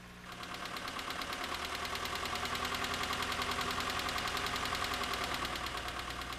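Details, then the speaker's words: Nissan engine at idle; light, sharp intermittent tapping about three a second riding over the idle, unchanged by advancing timing, cylinder drop test or pinching PCV lines; top-end tap, source not pinned down. "this noise sounds more like a tap than a knock and seems to be intermittent advancing the timing performing a cylinder drop test or pinching the PCV lines doesn't change it at all"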